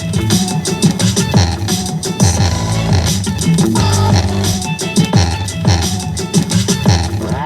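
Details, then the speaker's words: 2013 Toyota RAV4 factory front door speaker, worst on the driver side, is blown after being played too loud. Music bass notes rattle and buzz harshly, before replacement with Pioneer speakers. "So, you can hear that that uh the bass is of course rattling really bad. These speakers are blown."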